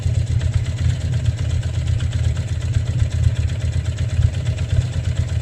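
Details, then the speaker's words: Motorcycle with 60,000 miles, warmed up, idling in neutral: steady idle with an added dull, uneven rumble that goes away when the clutch is pulled in; sounds like a bearing, source unknown. "i'm going to pull the clutch in you can hear it without the sound will go away i i don't know what that sound is"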